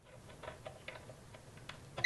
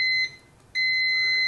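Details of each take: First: Uni-T UT161E multimeter in diode test mode: two short high-pitched chirps a few seconds apart over handling clicks, green light and diode lit; good diode confirmed. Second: Uni-T UT161E multimeter diode test on a shorted diode: high steady beep cuts out briefly, then sounds continuously while the light turns red; shorted diode warning beep.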